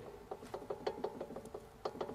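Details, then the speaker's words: Porsche 911 997 front anti-roll bar link, worked by hand: sharp dry clicks about four or five a second. The ball joint has very heavy play, is worn out and is being replaced. "à celle-là le bruit il est encore pire celle-là elle a du jeu mais puissance 10"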